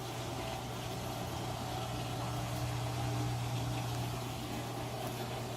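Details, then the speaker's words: Maytag Neptune MAH4000AWW washer after drain and recirculation pump servicing: only a low, even hum with no grinding, rattle or scraping. The drain pump now runs quietly and normally. "let's plug this back in yeah these out first it sounds like it's draining quietly yeah"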